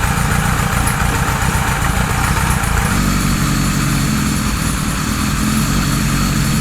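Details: 1978 Kawasaki Z1-R four-cylinder with newly installed carbs, during carb synchronization: idle uneven at first, then beat firms and evens out; gauges showed 1 and 4 good, 2 and 3 needing adjustment.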